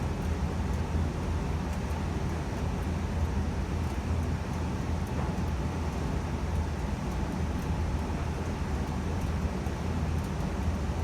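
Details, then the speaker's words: 2020 Evcon (rebranded Coleman) 65,000 BTU low-NOx gas furnace just turned off at the thermostat, burners out. A quiet, steady low fan hum runs smoothly while the heat exchanger cools before the fan cuts off; normal post-purge. "okay so i just turned it off at the thermostat as you can hear the burners turned off and now the heat exchanger is cooling down and the fan will turn off very soon"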